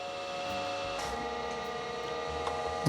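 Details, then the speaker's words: Datavue Snap 1+1 portable MS-DOS computer's old hard drive, after gentle twisting: steady high whine builds as it spins up, with faint ticks from the heads trying to initialize; hard drive spin-up attempt. "oh okay definitely sounds like it's trying to spin"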